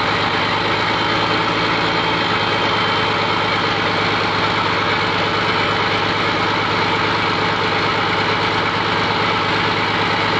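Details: Komatsu PC200-8M0 diesel engine running after overhaul: steady, even idle with constant low drone, no knocks or misses; healthy normal idle.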